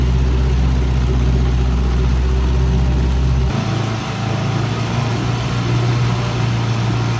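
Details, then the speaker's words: 1959 Johnson 3 hp Seahorse outboard with internal tank, likely unrun since June, run in a test barrel at 30 degrees before winter storage on proper oil mix: steady low chugging about four beats a second, no knocks, smoking in the cold; healthy. "Not a bad runner. Now you gotta keep in mind it's only 30 degrees outside, so all these motors are smoking quite a bit, and they all are running at the proper oil mixture."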